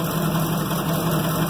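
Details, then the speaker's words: Loaded Ford F600 grain truck idling: dull uneven ticking over low rumble; owner suspects valve train noise, oil found milky. Cause not confirmed. "She's got either some valve train noise or she's gonna blow up. I can't reach the throttle. Yeah, she doesn't sound good at all."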